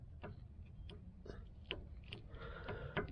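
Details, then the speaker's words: Tie rod end worked by hand after the castle nut is loosened: no play, but it locks up, giving sharp, irregular dry clicks about every half second; binding, to be replaced. "this one doesn't have play but it is locking up C right there you can even hear it"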